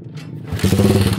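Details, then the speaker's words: Motorcycle idling after a DIY chain and sprocket job: rapid, harsh, uneven metallic clatter that comes and goes, where it was quiet before; cause unidentified, heard as loose debris knocking in a cylinder. "So tahimik naman to daw kanina. Tapos nung pag-start nila, napakaingay na."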